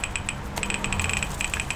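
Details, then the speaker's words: HP laptop keyboard: rapid, bright ticking clicks with each keypress while nothing appears on screen. "you can hear that, and nothing happens on the screen. What's going on?"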